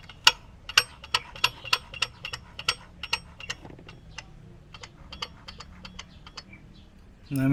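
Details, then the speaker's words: Yamaha Mio Soul i 125 brought in for hard starting when hot: metallic ticking up top, about two per second, metal-on-metal, seemingly from the tensioner area rather than the magneto, heard turning forward but not backward; valve clearance adjustment planned first. "ahan ko yung tunog parang hindi naman sa Magneto nanggagaling parang dito sa may tensioner a kaya bakal sa bakal eh pagpabalik wala pero pag pa-forward aan"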